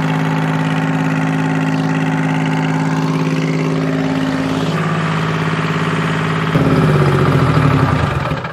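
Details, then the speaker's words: Bantam C350 crawler crane's Detroit Diesel (believed 3-53) two-stroke, parked about 20 years, first start: steady even low idle hitting on all three cylinders, no misses or knocks; healthy idle. "it doesn't sound bad at all it's hitting on all three i don't know it's detroit's man that's they're not a lot of power but they are a lot of reliability they always run if they spin they run"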